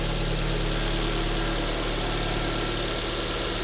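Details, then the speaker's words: Alfa Romeo MiTo QV 1.4 TB petrol after timing belt, coolant and oil change, first start, engine cover off so louder: smooth steady idle with light even injector rattle, no misses or knocks; normal running, warming toward 70 degrees. "and running normally. The injectors are rattling. Now it's missing that engine cover, so that sound is a bit louder."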